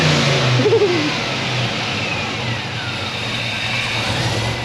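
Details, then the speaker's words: LSA supercharged drift car on E85 with new fuel system, at dyno shop: quick clean rev climbs and falls back to a steady throaty idle, no stumble; runs healthy with fuel pressure now. "He's actually able to rev it and actually hear itself go. It's got fuel pressure now."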